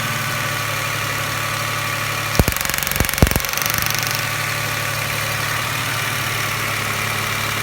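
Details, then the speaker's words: 1999 Toyota Camry Solara 3.0L V6, code P0304: uneven idle in gear under load, chugging with lumpy missing beat and clicks; cylinder 4 dead from failed injector measuring 500 ohms versus 14 ohms on neighbors. "if you put it in gear put a load on the engine you can hear kind of chugging misfiring"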